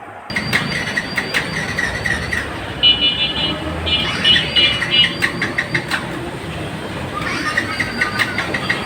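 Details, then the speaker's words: Yamaha FZS V2 motorcycle at key on with fuel present: repeated starter bursts, the engine spinning freely but never firing; crank no start from low compression (about 40%), later traced to the piston. "তো friends আপনারা সমস্যাটা দেখলেন বাইকটা start হচ্ছে না।"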